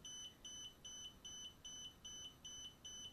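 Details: DJI Spark remote controller: shrill double beeps repeating nonstop about 2.5 per second, starting about 14 seconds after power-on; LED alternates red and green, calibration impossible; faulty controller.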